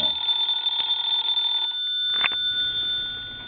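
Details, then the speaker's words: Vintage Siemens Milano telephone, mechanical ringer after repair with the belt tightened, rung with the hook switch held down: a bright, steady, high-pitched metallic ring for about a second and a half, then fading. Normal bell ring. "now that sounds a little more like an antique phone so I think we're well on our way to repairing this cell"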